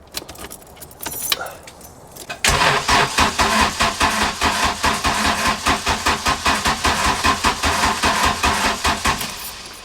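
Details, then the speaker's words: Mk2 Golf after plugs were cleaned of carbon, cranked with a boost pack: steady rhythmic cranking about four strokes per second that never catches; fuel reaches the injectors, new spark plugs suspected needed; cranks but will not start. "Still nada. >> Okay, so we've just tried to crank it. It did crank over a little bit faster when we put the boost pack on it, but still not starting."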